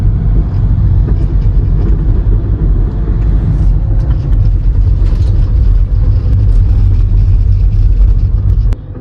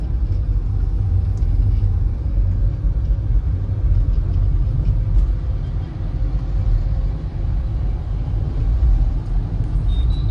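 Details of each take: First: Skoda Rapid diesel driven over bumps gives road rumble with sharp front suspension knocks; the lower control arm bush was cut and touching the body, and it was replaced. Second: Skoda Rapid diesel on a test drive at night after replacing a worn lower arm bush: steady low road rumble with no knocks or clunks from the front suspension, checking whether the suspension noise is fixed.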